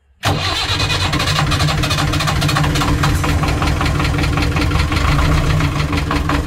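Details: Narrowboat Laura's BMC 1.5 diesel, just after its worn injection pump was removed and refitted, catches almost instantly and settles into a steady, even idle with a clean regular beat; normal diesel idle, runs right.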